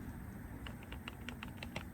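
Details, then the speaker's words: 2003 Honda Element axle CV joint twisted by hand, giving light irregular clicks and taps from loose play; the boot is in good shape, so the cause, wear or lack of grease, is unclear. "you can hear that i don't know how much of that noise is where and how much of it is just lack of grease it really shouldn't be lagging for grease because the boots in pretty good shape"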